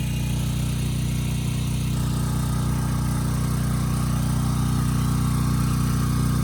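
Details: Briggs and Stratton Storm Responder generator, bought as a parts machine, under a 3,000 W load targeting about 60 Hz. Smooth, constant drone with no surging, holding speed well with good power output; it ran slightly fast, so the governor spring tab was bent afterward.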